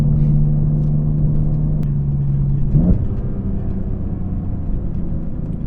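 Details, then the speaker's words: BMW E46 M3 with CSL carbon intake, CSL tune and Super Sprint race exhaust, accelerating on open road, heard in cabin; strong even drone holding pitch then dropping smoothly as throttle eases; pulls hard, healthy intake roar. "God, it pulls like a freight train. I can't believe it. It just sounds so good."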